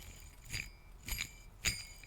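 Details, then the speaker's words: Briggs and Stratton Intek engine turned by hand: three sharp metallic clicks about half a second apart, catching in valve train, worsening after much spinning though it first spun easily; owner suspects the cam, new cam ordered, unconfirmed. "it's getting worse now because i've spun it a lot but it was it was you could when i first did it it just spun right in my hand easy"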